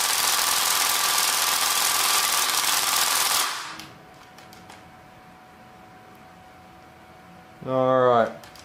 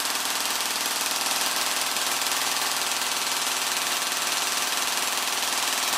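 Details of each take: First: Gearbox with a T238 brushless 480 motor, shimming roughly adjusted: fast, harsh cycling buzz stops dead after about three seconds. The pinion grub screw had come loose, letting the pinion ride up and jam the gear. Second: Gearbox with an M120 spring, run on the motor before the T238 brushless swap: fast, steady mechanical buzz with even gear chatter around four per second. Pulls cleanly at about 16 A average and 27 A max.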